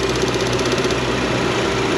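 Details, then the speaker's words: Engine at idle, purge valve clicking, still passing vacuum when commanded to zero via scan tool: quick even ticking about eight clicks a second over steady idle; faulty EVAP purge valve. "should go to zero you can hear it stop clicking still pulling it back in so it's got a bad purge valve"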